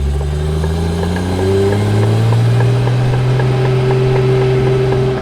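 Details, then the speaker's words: Toyota Supra, partly disassembled: faint regular clicking at low speed that follows road speed, not RPM, and worsens with speed; cause suspected, not confirmed. "all right so as you heard the car has a clicking noise that only gets worse with speed it doesn't matter about RPM"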